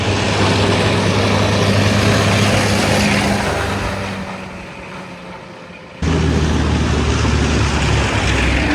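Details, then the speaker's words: M5 high-speed gun tractor on a road test after the gearbox refit, now reaching top gear with no leaks. The note sags briefly, then recovers under load; a crisp upshift, changing gear much quicker than before. "Absolutely flying. Change his gear way quicker than it was before."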